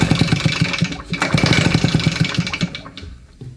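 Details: RedMax leaf blower two-stroke on old fuel: catches and runs with quick, even buzzing beat for a few seconds before dying away; normal two-stroke running.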